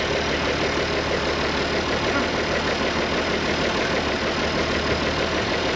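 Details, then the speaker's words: IH 4166 diesel tractor sitting since about 2015–2016, started after priming the injection pump: steady, even diesel clatter at idle with no misses, knocks or hunting; normal idle. "running sounds good down."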